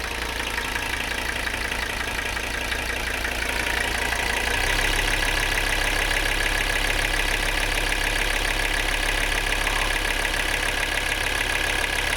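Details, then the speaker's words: Mercedes 300CD diesel after new fuel filters and air bleeding, idling then stepping to high idle: steady diesel clatter with an extra unidentified noise riding on top, source unknown. "Don't know what's making that noise."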